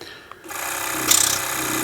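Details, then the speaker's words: BMW 750i air suspension compressor manually activated via backprobed red positive wire with pressure line removed at compressor outlet; steady raspy hiss and hum as air flows freely to check pressure build; compressor running, outlet open. "now i removed the pressure line that comes directly from the compressor i'm going to manually activate it again and feel if it's building sufficient pressure"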